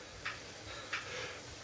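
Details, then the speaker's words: Saris H3 smart bike trainer, nearly new, spinning once warm: loud internal knocking clicks roughly every two-thirds of a second over the steady whir, rate varying slightly faster or slower. "it happens once the trainer gets warm it doesn't really happen with a consistent tap it just sometimes it goes a bit faster sometimes it goes a bit slow but it's loud"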